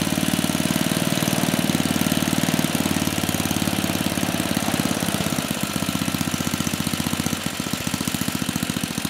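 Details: 34-year-old Tecumseh H30-35387Y on a Troy-Bilt Tuffy tiller, with a new clone carburetor after a no-compression repair; even single-cylinder beat easing off slightly as speed settles; runs smoothly with no knocking.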